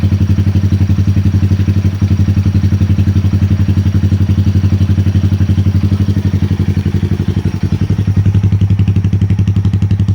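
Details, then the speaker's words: 2020 Honda Grom 125, after dashboard, ECU and throttle position sensor resets that cured rough idle and misfire following an exhaust change, engine left running to relearn: even single-cylinder thumping about 230 beats a minute, no misses or hunting; clean steady idle. "RPMs are quite nice and steady now."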